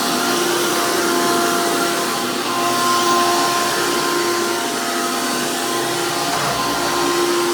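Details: 2002 Hoover PowerMax II U5246-940 Elite upright vacuum with 12 amp motor and 20-blade fan impeller, after motor work: loud, steady high-pitched whine with constant fan tone, no rattles or speed dips; strong airflow, normal healthy motor.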